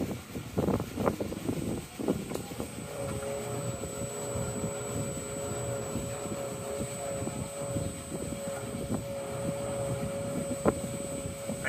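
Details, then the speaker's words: Valley Pioneer GF480 trommel's motor on a pre-programmed VFD set to 308, fed the wrong supply voltage (motor is 480 volt only): faint hum under clattering as it turns very slowly with little pull and needs help to start. "can hear it, but it's not doing much. I'd say it's running very, very slowly."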